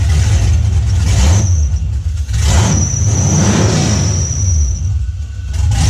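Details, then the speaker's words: LS V8-swapped Nissan 350Z first runs: deep burble with uneven, lumpy idle and throttle blips; earlier misfired like running on two cylinders and smoked; still needs fuel pressure regulator, fuel and tune adjustment, intake not yet fitted. "We were getting scared because it was misfiring. It sounded like it was running on 2 cylinders."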